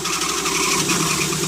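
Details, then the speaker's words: 2008 Ford F-150 4.6L Triton V8 with 160,000 km, idling with a steady thin high-pitched squeal over hiss. Tensioner was replaced eight months ago; owner suspects bearing noise near the left valve cover or the timing chain, unconfirmed. "this is a 2008 f-150 4.6 liter and it's been making the squealing sound"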